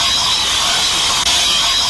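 Constant sharp high hiss with no rhythm and no change over the clip, like air or vacuum escaping near a valve. Cause suspected, not confirmed.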